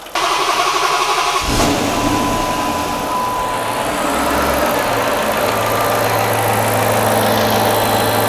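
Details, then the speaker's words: Refreshed Hemi V8 in a Dodge Magnum, first start after reinstall, lifters not replaced, dual-style coil conversion: catches and settles to a steady, quiet idle with only faint ticking, maybe slight lifter tick plus normal injector tick. "but already you can hear very quiet now maybe a tiny little bit of lifter tick in there still i hear the injector tick of course"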